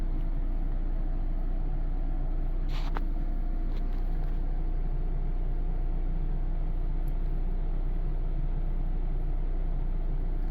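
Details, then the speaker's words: Furrion Chill Cube 18k variable speed RV air conditioner on low at about 430 watts: deep steady droning hum with even throb about four times a second as the compressor vibrates the trailer, 80 dB metered versus 61 dB advertised; owner suspects defective unit. "And at this speed, the compressor is vibrating enough to where we have a pretty good reverberation going on on the trailer. And it's at 80 dB as you can see on my sound meter here, which is way above what it's supposed to be."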